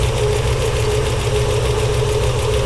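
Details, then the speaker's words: '73 Plymouth Duster, Gen III 5.7 Hemi with Eagle heads, idling with blowby from the breather and zero fuel pressure: rough, lumpy idle with a fast, nasty light tick, partly coming from the belt tensioner. "zero pounds of fuel pressure and I'm hearing a nasty tick. I'm going to see if I can isolate that. I know part of it is coming from this tensioner here."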